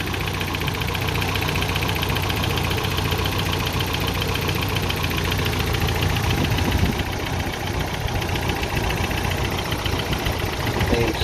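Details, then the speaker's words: Toyota pickup 22RE engine: rough, uneven idle with irregular puffs and pops in the exhaust, still shaking; owner suspects ignition timing not yet set to spec. "it's still shaking a little bit but other than that it's probably because i gotta need to put it valid in time a little better because i literally have not done that on spec yet"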